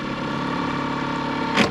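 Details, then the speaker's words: Outboard on Hood 23 sailboat at the wharf after repair, run on 95/98 unleaded, during forward/reverse test; steady idle with one soft clunk shifting into neutral, no stumble; normal idle. "How was that? How was that? It sounds pretty good. Just going to do a quick test forwards and backwards."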